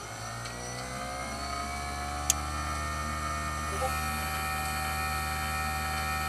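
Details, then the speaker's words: Jobo CPP2 processor agitator motor on the bench at 24 V DC: smooth, even hum at constant pitch with consistent current draw, no grinding or surging; the motor is healthy, so the fault is not brushes, winding or grease. "The spec on the motor says 24 volts. We'll give that DC and see what it does. Oh yeah. Sounds great."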